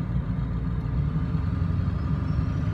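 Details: 1999 Ford F250 diesel truck idling: steady, deep idle with an even rumble and no knocks or misses; a healthy engine.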